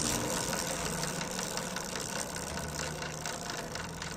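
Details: Loose, irregular kad-kad rattling clatter over a quiet engine, about three to four per second, from a motorcycle drive chain that stays noisy even after tightening and oiling; remedy suggested is applying CI 140 gear oil.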